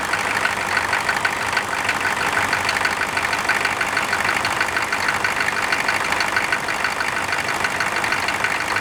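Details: Air-cooled engine cranked cold with its fan just installed: an even, steady idle under a loud airy fan rush, with no change in pace. Normal cold idle.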